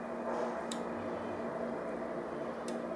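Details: LG plasma TV model 42PT350R fails to stay powered on: two sharp power relay clicks about two seconds apart over a low electrical hum, the relay clicking on and off.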